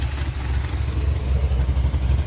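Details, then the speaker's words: 1987 Chevy S10 305 V8 idling through cheap regular mufflers after a test drive on the new mechanical fuel pump; it didn't die after 2–3 full-throttle runs, and the even, lumpy beat has no misses, so it idles normally. "Gave her full throttle 2 or 3 times. Didn't die on me none, so I'd say she's fixed."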